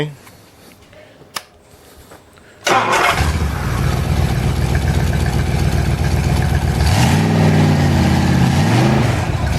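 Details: Reconditioned-bottom-end Ford 390 FE big block, test-started before ring bed-in, cranks, catches quickly and settles into a strong, even run with no knocks or misses; runs beautifully, alternator or water pump squeaks.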